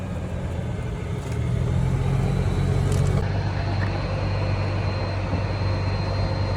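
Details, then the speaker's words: EZGO TXT golf cart with a 298cc single-cylinder engine, after a no-start was repaired with new carburetor, fuel pump, fuel filter, lines, air filter, belts, oil and filter: a steady low chug with an even beat and no misses, so it runs smoothly. "Hey, y'all seen it? From a no start to a fire up."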